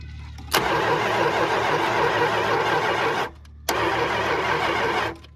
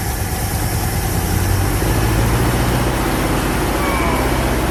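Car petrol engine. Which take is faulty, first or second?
first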